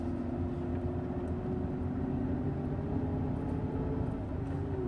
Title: Hyundai EON severe grinding sound during a low rpm